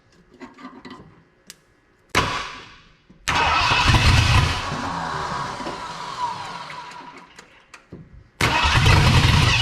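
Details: 1979 Ford F250 4x4 Sno-Fighter, parked since 1986, with a powertrain sitting since 2016, no fuel tank hooked up: long cranking, then a brief ragged burst that dies; fires only on starting fluid because no fuel supply.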